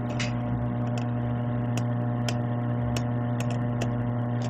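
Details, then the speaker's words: Sony Genezi HCD-GTR33 modular stereo at zero volume, no track selected: steady low mains hum with faint clicks, louder as volume rises and on subwoofer; hum in amplifier output, unit also shuts itself off. "acá escuchamos un ruido ahí pues hay un zumbido si nosotros incrementamos el volumen no hemos seleccionado ninguna pista de audio en este momento pero ahí escuchamos más fuerte lo que sería el zumbido"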